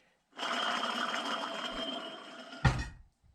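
Hand-spun spindle gives an even, steady whir for about two seconds with no grinding or clicking, then stops; bearings run smooth.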